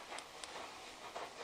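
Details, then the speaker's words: 2015 Hyundai i20 1.4 running with misfire: sharp irregular snapping as an ignition coil arcs through broken-down insulation, not at the spark plug; old plug fitted to stress coil. "see that you can hear the cracks not coming out the spark plug it's actually coming out this little area here see the little spark there you go perfect broken down insulation on a coil"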